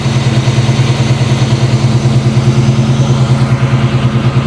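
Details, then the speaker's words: 1994 Chevy C1500, carbureted 383 V8 with 700R4 transmission, fuel pressure about 6–7: cold idle with a steady, even rumble and gentle regular rise and fall; runs smooth and healthy. "this thing runs like a top man yeah I think I'm driving this home today"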